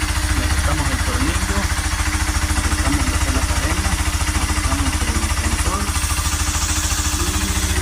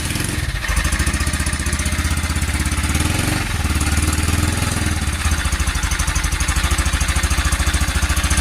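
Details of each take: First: Honda Cargo 150 (CG150), a month after cylinder, piston, camshaft, valves and timing chain replacement, came back with a strange noise; after readjusting the rocker arms and removing a screw, it has a steady, healthy single-cylinder idle with no ticking or rattle. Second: Honda Cargo 150 (CG150) single-cylinder, rebuilt a month earlier with new cylinder, piston, camshaft, valves and timing chain, began clattering after being overloaded uphill; cold idle shows fast metallic top-end clatter like timing chain or guides; found a loose cam sprocket bolt.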